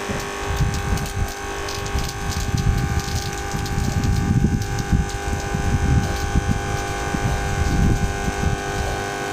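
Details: Vibration pump after magnetic gap and washer adjustment: steady electric hum over rough, gushing water noise, pumping like new, about 10 litres in the test: normal pumping.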